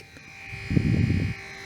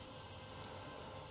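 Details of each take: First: Commodore CDTV cooling fan, cleaned and bench-tested out of the machine: steady whirring hum with rough chugging undertone like a little tractor, far too loud; worn noisy fan, replaced with a new quieter one. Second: Commodore CDTV computer with new replacement cooling fan, which replaced an old fan that sounded like a little tractor; steady, even airy hiss with slight wind noise, no rattle; normal quiet fan running.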